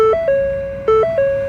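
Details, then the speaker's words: On a 2020 Ford Escape with code 1299, after both coolant temperature sensors were replaced, the key is on with the engine off. A two-tone falling chime repeats about every 0.9 seconds, and the engine coolant over-temperature warning persists. "Temperature warning without hooking everything up yet. Okay, got to have foot on the I don't want it to start. I don't want it to start. There we go. Engine coolant over temp."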